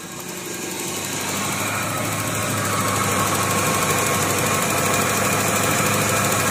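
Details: Perodua Kembara HC engine that nearly stalled at very low rpm when the air conditioning was switched on, after a new FICD/UFO vacuum part was fitted and the timing sorted: idle settles and holds evenly at just over 900 rpm with the AC on, no dips or hunting.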